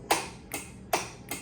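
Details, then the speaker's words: Rebuilt Triumph TR6 engine, ignition on with the starter main power disconnected and only the solenoid wired. Four sharp, dry clicks with no cranking; the starter solenoid pulls in and works normally. "So just so you know, the main power is not connected of the starter yet. So it's not gonna crank, but the solenoid is connected."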